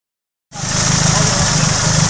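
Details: Nissan Silvia/180SX SR20DET redtop engine, noise only between 2,000 and 2,500 rpm and seeming to come from the head: quick, steady metallic knocking on the engine note while revved. Confirmed worn big end bearings.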